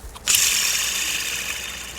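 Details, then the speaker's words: Toyota 2AR-FE 2.5L four-cylinder, removed drive belt tensioner spun by hand: a dry, gritty whirring rattle fading as it slows. The plastic tensioner pulley bearing is worn; these tensioners are known to make noise. Noisy drive belt tensioner pulley. "It's a simple tensioner is notorious to make noise. I'll show you that noise."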